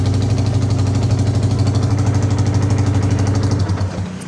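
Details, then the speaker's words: Yamaha Vixion motorcycle after cleaning starter motor armature and cover, which had squeaked and crackled when starting: starts smoothly, even single-cylinder idle with no whine or grind; normal idle. "kita starter kemudian kita dengar suaranya sangat halus oke mantap berarti berhasil"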